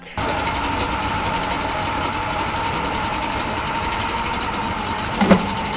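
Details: Yamaha 40 hp two-stroke outboard in a test tank, after a carburetor cleaning, running in gear with a damaged prop that was straightened. Even, fast buzzing run with one brief thump near the end. Normal running in gear.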